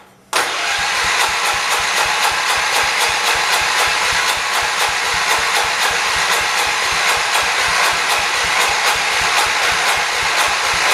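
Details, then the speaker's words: 1978 John Deere 208 garden tractor after head gasket replacement; steady cranking about four turns a second but no start, owner unsure whether it picks up fuel from the tank or the choke is set wrong. "it tried so we have an issue i have a funny feeling that i'm choking or i'm not choking it down is unchoked i think an up is choked"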